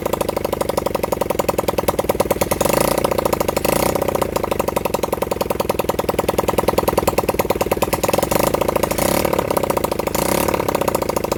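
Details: Honda CB100N motorcycle first run in over 20 years, on a half-flat battery: small single-cylinder chuffing at a quick, ragged beat with odd louder surges; rough running.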